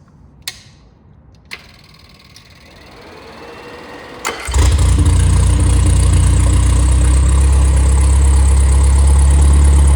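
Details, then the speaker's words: Completely rebuilt 1500 four-cylinder engine (called MG Midget and Triumph Spitfire 1500, no. FP22382UE) with new flat-top pistons, reground 270 cam, 9.5:1 compression and 195–205 psi compression: cranks, catches and settles into a steady, even, smooth idle. Normal idle. "and uh it's just been completely gone through. It's a like it is very smooth."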